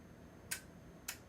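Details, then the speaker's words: RF-KIT B26-RF2K+ LDMOS amplifier kit, newly built, at power-on with an Arduino Mega 2560 inside: two sharp, crisp clicks about half a second apart in a quiet room; relays pulling in normally. "Oh, heard some relays clicking. That's a good sign."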